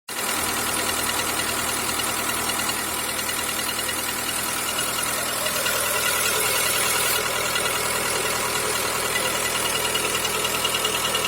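Loud, steady idle with a regular light knock, roughly two to three a second, over the engine noise; source undetermined.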